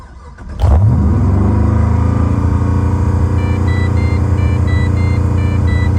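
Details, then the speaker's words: Pontiac GTO, the morning after a hard drive the night before: on start it jumps straight to a steady 3500 RPM high idle. Owner hopes it is the idle air control valve; the TPS has already been replaced twice. "it's 3500 RPM idle I hate this car"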